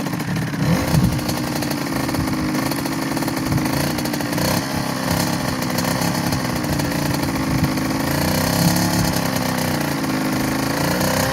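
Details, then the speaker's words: 2007 KTM 65SX two-stroke after top-end rebuild with a Vertex piston kit, heat cycled, ridden with gear shifts: loud, raspy buzz rising and falling with throttle, clean and steady without misfires; normal running. "she's a runner max anything you want to say sounds great runs great you like riding it yeah on the trails it's fast bike"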